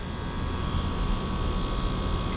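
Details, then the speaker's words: Johnson Controls water-source heat pump serving a switchgear room, locked out and not cooling, restarted after power cycle: steady even hum and low drone, no knocking. Suction 133, liquid 291, superheat about 9°, subcooling 12, all normal. "our super heat is at almost 9° sub cooling at 12 seems normal completely normal so our pressures are good"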